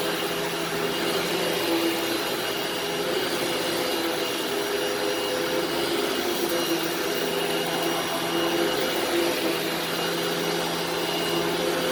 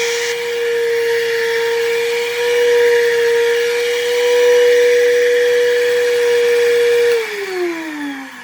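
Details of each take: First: Upright vacuum running in carpet mode; steady, even mid-pitched motor whir with no surging or grinding, running normally. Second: Vacuum cleaner running: steady high motor whine with a rough buzzy edge before spin-down, with a burning smell. The owner suspects worn carbon brushes; the proposed fix is replacing the brushes and polishing the commutator.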